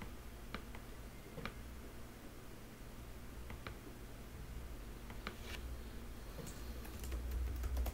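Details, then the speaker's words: WD Red Pro 20TB NAS hard drive with 9 platters, running under a heavy test load: quick, irregular clicks and ticks at a few per second over a low hum. Normal head seek noise, loud for this drive type. "that's the sheer noise of these drives because there's so many planets inside and the drive is designed to work so hard these are not the quietest drives in the world"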